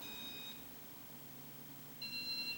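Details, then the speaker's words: Ceiling fan with single fan button, button held down: short run of high clipped beeps over quiet fan hum as speed increases; normal speed-adjust signal. "hear it did you hear it and that's how that's how you adjust it you just keep your your finger on there and see look how look how fast it's going now"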